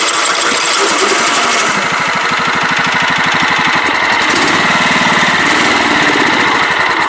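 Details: Craftsman LT 1000 riding mower, little fuel, extra gas added: small twin chuffs unevenly, fires briefly but dies and won't stay running; owner suspects wiring fault.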